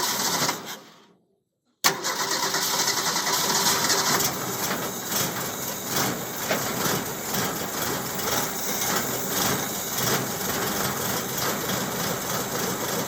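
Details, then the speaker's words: 1929 Ford Model A roadster pickup with a 1974 Pinto four-cylinder, about 39K miles, unrun for 10–12 years: after a short silence the engine catches and settles into a steady, slightly busy idle; a normal start and idle. "There it goes. Yeah, that works. Right on."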